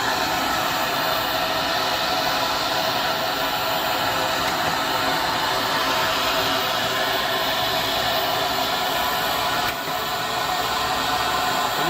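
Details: PulseRam self-cleaning dust extractor for tile and flooring removal, with HEPA filters acting as a muffler: steady loud rushing hiss with an occasional sharp pop as the filter-cleaning valves fire; it is running normally.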